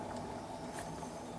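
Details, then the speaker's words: Go-kart front wheel spun by hand: gritty, uneven whir with faint rattle, bearings rattly and rough; worn wheel bearings, four new front bearings ordered. "they spin but they're they're rattly and rough so they've ordered four new bearings for the front wheels"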